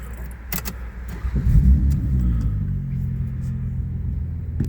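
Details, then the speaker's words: Toyota Sienna being revved: a deep, raspy rumble swells into the loud, throaty sound of an exhaust leak. "So, a lot of people think that their BMW M3s with Acropic exhaust systems and straight pipe Ford Mustangs sound really good, but have you ever heard the sound of a Toyota Sienna with an exhaust leak?"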